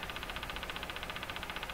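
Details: Crosley 43FB battery farm radio during alignment, on the AM band with the volume down: fast, even ticking about a dozen per second over a hissy background; an intermittent ticking fault has come back, cause not yet found.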